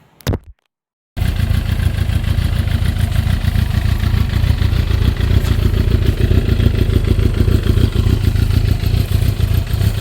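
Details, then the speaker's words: GSXR with a 600-to-750 engine swap, first running: low, uneven idle with irregular chuffing pulses about three a second; rough running, cause not pinned down, and the exhaust gaskets had been left out. "I'm gonna go ahead and see if I can get it to run a little smoother tomorrow."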